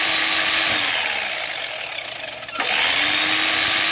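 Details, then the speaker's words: Philco All in One PR2 food processor on the bench at maximum speed after direct-wiring the switch and testing the safety lock: smooth, even high whir with no rubbing or grinding, running normally. "a beleza agora vamos colocar na velocidade máxima para vocês ele funciona tudo normal aqui"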